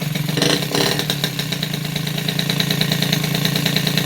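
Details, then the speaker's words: Fresh rebuild of a Peugeot 103 RCX moped, first start, carburettor not yet tuned: busy, crackling two-stroke buzz with a slightly uneven, rich beat, running with the choke still pulled. "là le starter est toujours tirée"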